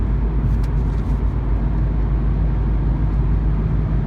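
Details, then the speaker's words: 2004 Nissan G35X sedan at highway speed after a rattle was fixed: steady low engine and road drone with no metallic buzz or rattle; sounds healthy. "we're gonna show y'all how beautiful the car can sound because i was so scared to hit this [ __ ] but now it just it's it's there it ain't no rattle"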